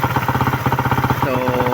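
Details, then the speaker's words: Suzuki Raider 150 motorcycle engine at idle after thickening the engine oil with diesel engine oil to reduce bearing clearances; it knocked at idle before, now an even single-cylinder putter with no knock: normal idle after the fix. "So malagatak talaga yan nung una na naka-idle siya, malagatak. Pero ngayon, diba, wala nang lagatak."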